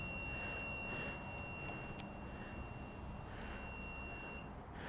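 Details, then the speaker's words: Honda CB360 static timing with multimeter continuity on the points: steady high beep while points are closed, cutting out near four seconds as they open away from the LF mark; timing slightly off, main plate needs adjusting. "points are starting to close now my multimeter is yelling at me points are closed now"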